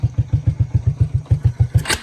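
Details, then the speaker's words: Early-to-mid-90s Suzuki King Quad 300 ATV, running with open carb after a warped air-box part wouldn't fit, idle set a little low: fires right up, even low single-cylinder thumps about eight a second, clean idle; normal start and idle. "just open carb it's running perfect uh I mean got that out a little low right now but it fires right up"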